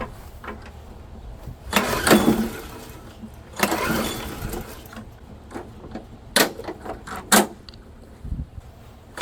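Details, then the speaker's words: Murray-built Dynamark Plus 21-inch mower started on a spray of carb cleaner: fires in short bursts, racing up sharply each time before dying, and smokes heavily; it is overspeeding because the throttle is not connected. "Ran a little bit fast there, I think. Wow. That's, that throttle needs to be adjusted."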